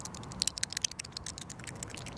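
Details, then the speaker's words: Pentair Legend pool sweeper during service: worn wheel bearing spun by hand gives a dry, quick, uneven ticking rattle with visible play; a new bearing is tight and much quieter. "I just want to do a comparison show you why it's so important to replace these bearings this one is bad and you can see the movement inside there and you can hear it too"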